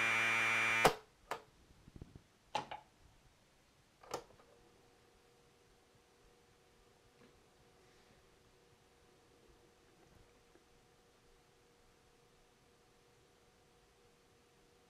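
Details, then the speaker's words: Commodore 1530 datasette, head azimuth just re-aligned by ear, playing a program tape: after a few clicks, faint steady high data tones hold even and unbroken; the tape reads cleanly and the program loads. "now some of you are probably curious what an audio tape sounds like when you play it through a commodore data set so here you go"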